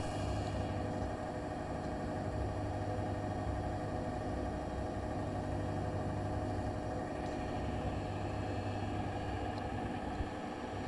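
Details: New Bosch Serie 4 EcoSilence washer, technician-installed with transit screws removed, spinning: constant droning hum over steady roar, louder than expected, from drum/spindle while brushless motor is quiet; 400–1400 rpm, loaded or empty, cause unknown.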